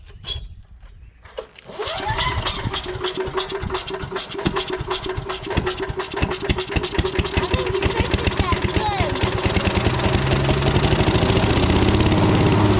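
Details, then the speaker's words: Old non-starting woodchipper engine, carburetor suspected bad, tank rusty with stale varnished gas: with gas poured straight into the carburetor it catches after a couple of pulls and builds to a rapid, fairly even chatter; runs only on poured fuel, cause suspected. "all right so I'm gonna get a little gas I'm gonna pour a little gas down in this carburetor"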